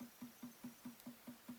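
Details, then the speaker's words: 2004 Chevrolet Tahoe rear wiper motor running, key on, heard from inside the cargo area with the hatch trim removed: a soft regular thump four to five times a second; cause not yet found. "thing is making sort of a thumping noise I hadn't heard that before but it's readily apparent now with all the trim pieces out of the way and sitting back here but you can kind of hear this thing clunking"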